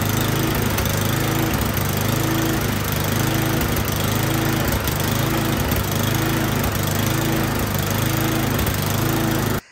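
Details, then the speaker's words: Troy-Bilt Storm 10030 snowblower that would not start after gas sat in it all summer (bad gas, clogged carburetor suspected); spark confirmed, started with starting fluid, now running great and warm: steady, even drone with regular low pulse, no misses; normal running. "that I started it with starting fluid it is running great"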